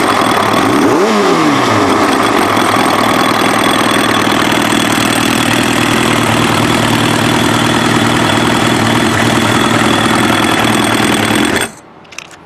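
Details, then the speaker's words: Kawasaki ZX-7R with FCR41 flatslide carbs after synchronising the slides and leaning the idle circuit, fuel screws 1 turn out: steady, even four-cylinder idle with one quick blip near the start, no hunting; stable and clean. "So you can hear how much more stable that sounds, and it's pretty clean."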